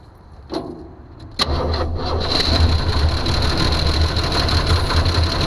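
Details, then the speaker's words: 1982 Jeep Cherokee six-cylinder, not run in years, no fuel in the glass filter: cranks briefly, catches, then settles into an unsteady, lumpy, wavering idle. Rough running, fuel starved; oil checked fine, no fuel reaching the carburetor. "She don't sound too healthy."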